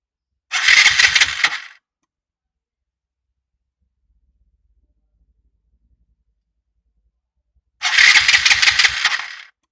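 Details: Three-year-old Piaggio MP3 Yourban 300 scooter, battery good, starter motor checked, relay new: two short starter bursts of about a second each and no firing; the start signal sometimes lasts only a second, so starting is intermittent.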